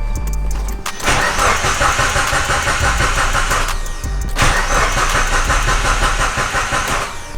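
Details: Mitsubishi Evo 8 with a built engine, fuel pump confirmed priming, tank holding gas, awaiting a new ECU: two long spells of steady starter cranking at about three turns a second with no firing; cranks but won't start, cause not confirmed.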